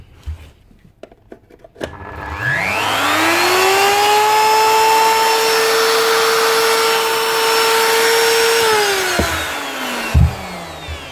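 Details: Old blue Ryobi router, previously rough and noisy from failing bearings, after bearing replacement: spins up to clean steady whine, smooth and even without rattle, then winds down; normal router run.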